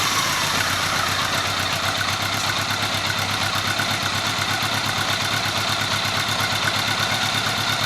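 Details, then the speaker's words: 1983 Honda Gold Wing 1100 flat-four just after its carburetors were rebuilt and reinstalled, throttle cables not yet connected, voltmeter on the battery to diagnose a non-working charging system. Steady, even idle with no knocks or misses. "so let's start it up nice to have this little girl running"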